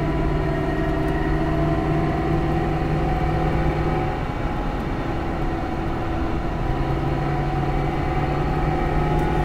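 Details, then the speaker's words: Dodge truck driving on the highway, owner reports whine under load worse on acceleration: steady droning hum with faint constant whine over road noise; rear differential pinion bearing whine, ring and pinion possibly damaged. "yeah he's definitely got problems I would say he's got a bearing down and he'll be lucky if he don't have a ringing pinion uh sharpened up"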